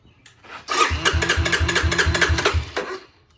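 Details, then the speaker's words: 1985 Honda ATC250SX after restoration, with carburetor rebuilt, new OEM petcock and fuel filter fitted: quick, even cranking pulses at about three per second, spinning freely with no drag; normal cranking. "cranks over fast"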